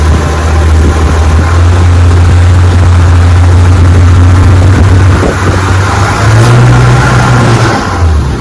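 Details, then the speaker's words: 1958 Johnson FD-12 18 hp restored outboard on a 14-foot Feathercraft, bayou test run: steady drone, then revs flare sharply to high RPM without the boat pulling harder, losing traction. Slipping prop. "There it went. The motor goes into high RPM but loses traction."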